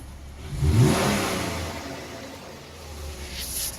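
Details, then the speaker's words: Flooded Ram truck at operating temperature, running quiet with no smoke or exhaust leaks; quick rev picks up and settles back smoothly with no puffing, ticking or hiss. Healthy engine revving. "it is running it is not smoking no exhaust leaks as you can hear it's really quiet I actually have I'll have to actually rev it for you for you to actually hear it"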